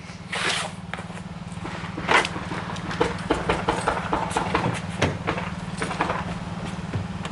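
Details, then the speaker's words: 2004 Subaru Legacy Outback that suddenly wouldn't start, heard from inside the car: the starter spins with a steady, even churn and light clicks but never fires; cranks with no start, and the owner wonders if the battery is the cause. "It wants to start so bad, right?"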